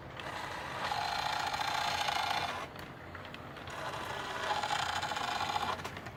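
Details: Lionel E33 running with soft mechanical whirring and a thin, steady squeal that comes in for a second or two, drops away, then returns; intermittent squeal of unknown cause.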